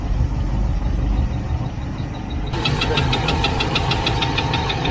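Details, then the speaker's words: Range Rover on the Canning Stock Route, just after starting, water pump a concern: light tick-knock about three times a second over a rough idle; source unclear, thought possibly a passing noise. "I've owned one of those things and I know that you can have a funny noise and you think to yourself oh heavens what Heavens what what is that"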